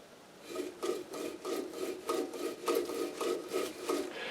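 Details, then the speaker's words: Air compressor electric motor, about 15 years in service, kept outdoors on a porch: a dry, rasping rub repeats about three times a second while running, a periodic squeal; owner suspects worn bearings needing replacement, not confirmed. "So I think the bearings have got to be replaced in it. It squeals periodically when you run it."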